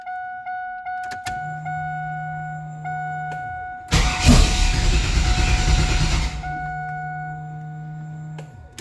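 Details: LT1 engine: starter spins over at a steady, even cranking rhythm with a warning chime behind, but never catches and runs; crank no start.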